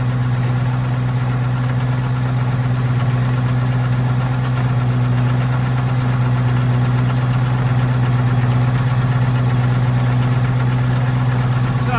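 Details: FV432 APC K60 diesel, plungers now in the same place: steady, even beat at about two firings a second, deep drone, no misfire or stumble; running better, normal running.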